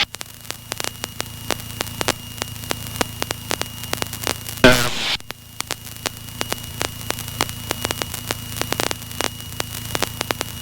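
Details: PA28 climbing out of Oxford (EGTK): harsh hiss over a steady hum with sharp crackling ticks every fraction of a second; heavy static from the passenger mic rising with RPM, nearly drowning ATC; radio issue later figured out.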